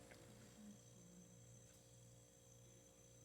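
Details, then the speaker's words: Haier HRC2731ACW mini refrigerator started after three-plus months unused: faint, steady low hum as the compressor kicks on, no rattles or clicks; running quietly and normally. "i don't know how well you can guys hear it i think you can but it started but the compressor itself kicked on"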